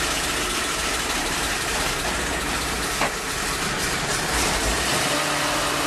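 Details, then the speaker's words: 1948 Ford F-5 truck, sat unrun for over a year, cold start on choke with throttle pumped by hand at the engine (no accelerator pedal): steady, even, unhurried idle with no knocks or misses; normal healthy cold idle. "Well, okay, that's a good start. I like it. I'm happy."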